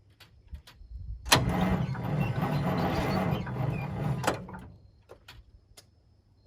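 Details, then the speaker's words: Detroit Diesel 6-71 swapped into a vintage GM 4104 bus, first start attempt: about three seconds of laboured cranking that dies away without catching. It fails to start, and the batteries seem dead despite being fully charged beforehand. "Pretty anticlimactic. Batteries no good? Yeah, they seem pretty dead. So we got to get some new batteries."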